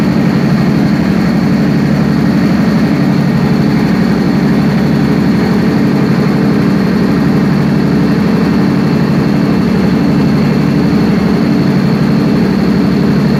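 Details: Perkins 4012 diesel after general overhaul, pre-lubricated before start; loud steady clatter at an even, fast beat with no misses or knocks, running healthy under load.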